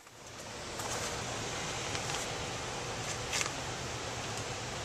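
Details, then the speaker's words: 5-ton HVAC system with 14x25 stamped return air filter grille, 18-inch panned-off return and undersized ductwork: loud steady rushing roar at the return grille, like a 747 taking off — return too small for the system. "Oh, and that return air is a 14 by 25 stamped return air filter grill on a 5-ton. Sounds like a 747 taking off."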